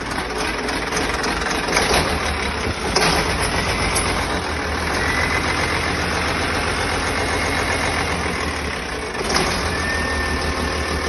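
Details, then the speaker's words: First start of a freshly rebuilt diesel engine, jumped at 24 volts: cranks, catches easily and settles into a smooth, even idle with no major leaks or bangs; an injector pipe leaks; normal start and idle. "It's started up very easy. And, uh, no major leaks or bangs."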